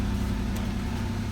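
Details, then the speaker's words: Trofeo 3.8 engine with 92,000 miles, long-stored, started on old oil after fitting battery: smooth, even, quiet low idle with no knocks, ticks or misses, no smoke or check engine light; healthy idle. "Listen to how healthy that 3.8 still sounds. This car has always been so quiet."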